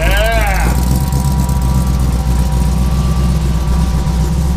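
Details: 1953 Willys Aero Falcon gasser dragster, supercharged V8 on 100 octane fuel: loud, lumpy but steady idle with deep low rumble, even and strong; healthy blown V8 running cleanly at idle and rev.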